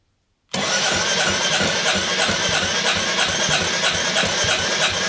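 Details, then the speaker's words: Rebuilt 2022 Royal Enfield Classic 350 after a stolen-and-recovered restoration, first start indoors after reprime: fires straight up into a loud, steady single-cylinder thump about three beats a second; engine nice and smooth, loud indoors. "go prime it again hey that sounds quite loud in here but I am indoors the Y that's quite loud actually engine's nice and smooth though"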